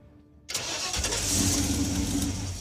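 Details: Raunchero (Roadkill project car) start after cleaning connections and fixing the trigger wire for a no-start: starter cranks briefly, engine catches cleanly and settles into a steady, even run without stumbling; normal start, declared fixed.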